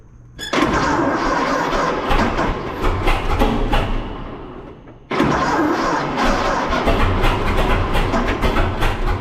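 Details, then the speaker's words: 1926 Seagrave ladder truck, 1013 cu in F engine, first start in at least 10 years, flooded with too much fuel: catches with uneven popping, dies back, then fires again and keeps running; normal start after storage. "oh almost wow there you go first start in 10 years and this thing's been sitting a long time"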